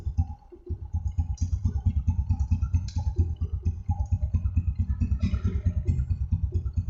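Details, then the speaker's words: Honda Supra X125 after repair of rough engine noise, oil freshly changed, oil pump checked: steady even single-cylinder idle with no rattle or clatter; engine sounds healthy. "oke suara mesinnya sip sip sip Coba saya tutup untuk bagian knalpot Yamaha hai oke hampir tidak ada suara sama sekali untuk bagian mesinnya ya"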